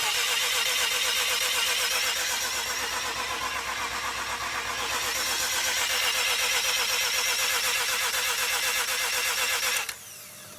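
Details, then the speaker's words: Mazda RX-7 rotary single-turbo conversion, first start attempt after fixing starter wiring: fast, even starter churn about four pulses a second with steady pitch; normal cranking. "Turning over sounds sounds good. Yeah, you can hear some of the never quite tell, but it does sound good."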